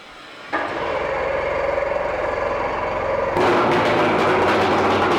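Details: 2001 Mercury 125hp 4-cylinder oil-injected two-stroke outboard, 20in shaft, freshwater motor, compression 100–105 psi per cylinder: fires up with a crisp, even rapid beat, revs smoothly, no misses; running normally.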